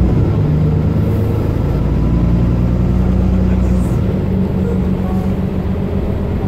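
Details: Mercedes-Benz Citaro O530 LE bus, OM457hLA 12-litre Euro 5 diesel (299 hp), ZF Ecolife 6AP1700B automatic with overdrive, 12,450 kg: pulling under steady road noise, a low tone climbing slightly with speed; the fleet's only noisy Ecolife gearbox whining.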